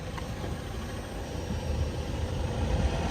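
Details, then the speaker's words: VW Golf 6 power window after refitting the glass and tightening the center bolts: smooth, even motor drone as the glass lowers, building slightly, with the former clack gone; window running normally. "il y a plus le claque voilà parf regardez il y a plus le claque parfait"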